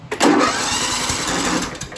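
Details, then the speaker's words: John Deere L110 tractor with single-cylinder Kohler Command engine, no-start: while cranking it gives a sharp cough and backfire pop, then erratic uneven churning that never catches; ignition timing off from a sheared flywheel key. "all right so that cough that cough right there it's like a backfire and it sounds really like it's gonna try to start but it won't okay so basically right there it's backfiring and it's acting all erratic"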